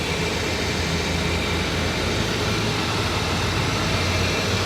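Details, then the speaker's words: 2014 Ford Fiesta Zetec Rocam 1.0 Flex at 16 degrees, cranked and holding a steady, level idle without surging or cutting out. Its earlier first-start fault (rough idle, injection light, stalling) was traced to a coolant temperature sensor wet with leaking coolant. "Era nesse momento aqui, eu tocava arranque, ele não ficava em marcha lenta. Ele ficava todo quadrado, acendia a luz de injeção, às vezes apagava. Mas tá aí, ó, funcionando. Beleza."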